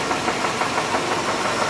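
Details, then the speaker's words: Engine idling: a fairly even idle with a quick, regular knock at engine speed; a rod knock, worn rod bearing. "yeah it's a rod get it all fixed up"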